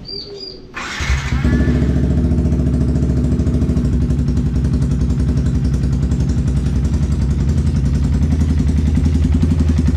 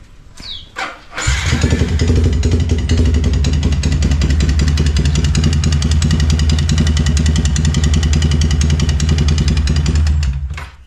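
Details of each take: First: Yamaha Vixion with a noisy, rough-sounding engine, after repair and reassembly with a new NGK spark plug: it catches after a brief crank and settles into a steady, even idle with a regular beat and no knocks or rattles. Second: Yamaha Vixion motorcycle with a very noisy engine, before repair: fires up and settles into a loud, harsh, clattery idle with an uneven beat; rough noisy engine, cause not yet known.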